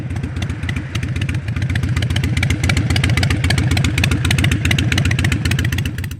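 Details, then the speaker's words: Modern EFI Harley-Davidson V-twin after its idle was lowered with a Fuelpak FP3 tuner: slow, deep, loping uneven beat of about three and a half firings a second; normal lowered idle. "so harley's supposed to sound right there"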